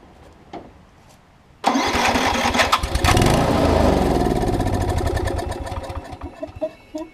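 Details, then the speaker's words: Circa-2015 Snapper rear-engine rider, push-mower-type engine, started on fresh fluid: catches abruptly, runs raggedly, sputters and dies; suspected bad gas, carb bowl later showed heavy varnish; fuel starvation from varnished carburetor, carb clean needed. "as you can tell it's probably got some bad gas in it somewhere because it's not staying"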